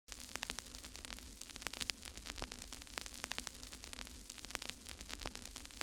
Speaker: I wanted to get the meters going for at least a minute here, but as you can hear this, hear that little rubbing? This take-up reel is pinched, so it's kind of squeezing the tape down here at the bottom.